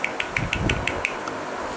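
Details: 2013 Honda Civic: sharp light ticks about six a second over the engine that die away, rattle from the accessory belt, worse with A/C on; cause a poor-quality belt tensioner under a month old, replaced.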